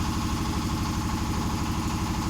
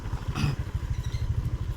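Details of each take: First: Honda Vario 125 scooter at steady idle, about three soft beats a second, no misses or surging; fuel spray judged normal, test after replacing the throttle position (TPS) sensor and fixing the faulty temperature sensor behind mid/full-throttle hesitation. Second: Honda Vario 125 scooter hesitating under throttle, revs pulsing unevenly in the low range, surging and dropping instead of climbing clean, reportedly losing power at high rpm; a Malang shop blamed the throttle position (TPS) sensor.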